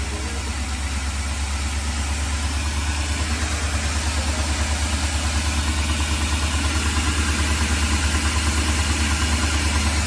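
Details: 2003 Ford E-350 5.4 liter V8 grooming van, sat two years: idle with repeating stumble, about two per second, uneven firing; misfire.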